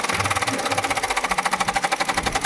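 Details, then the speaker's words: Car radiator fan noise heard for about a month: fast steady rattling slap about ten times a second over the idling engine, a broken part catching the spinning radiator fan blades. "ये fan में दोस्तों आवाज आ रहा है।"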